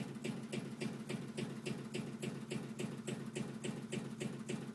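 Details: Steady thumping about three to four times a second over a low hum from a home AC/heat unit, felt through a vibrating copper line; the pipe is not the source, and the cause is unidentified.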